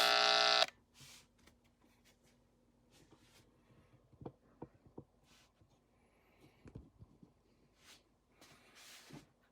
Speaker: But the real interesting thing came from the Nixie clock and its associated power supply. That's the switching voltage to light the Nixie tubes.